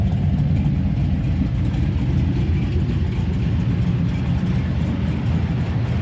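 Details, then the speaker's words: V8 muscle car after engine swap with new cam and lifters, stock-size 2000-stall torque converter: deep, steady idle with mild lumpy cam beat, much quieter under hood, no ticking or knocking; normal idle. "Man, it is way quieter under the hood now. Actually like like it. Actually approve these lifters so far and I approve the cam. It just sounds good."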